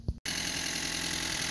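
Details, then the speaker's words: 1959-bought MG TD, restored after sitting since 1967, new belt fitted and carburetor leak apparently stopped: steady even idle, soft regular beat, no knocks or misses once warming; purring smoothly. "Look at that baby. Purring like a kitten. We got a new belt on there."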